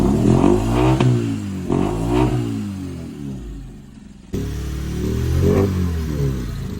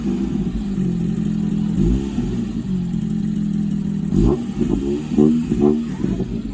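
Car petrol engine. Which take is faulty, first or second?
first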